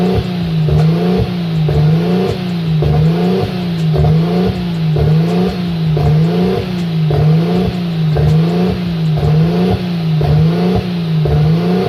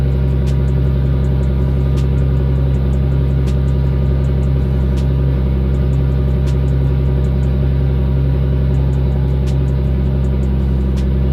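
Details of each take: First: Nissan RB25 Neo with a high idle problem: idle hunts up and down about once a second in a steady rhythm; propane test ruled out a vacuum leak; the throttle plate was set too far open. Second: RB25 Neo engine after closing the throttle plate to fix the high idle: low, even idle rumble with faint light ticking and no hunting. Owner later hears possible knocking, unsure whether it is just untuned. Normal idle.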